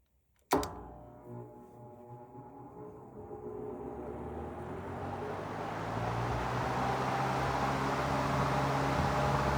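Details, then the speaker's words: Vintage 1940s Robbins & Myers 16-inch 3-speed oscillating table fan, model 24004-A, on 115.5 V 60 Hz, started on high with microphone removed: switch click, then smooth hum swelling to steady high speed; normal motor startup. "Cool startup sound. That is a cool startup sound with the motor. Startup on high."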